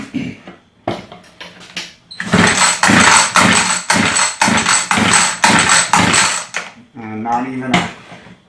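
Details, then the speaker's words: Homelite two-stroke rototiller, customer says it won't start: repeated pull-cord rasps about twice a second with no firing or puff; choke working, air filter out, primer bulb not filling; fuel starvation traced to a torn fuel line. "not even a puff. So pretty sure it has something to do with this primer bulb."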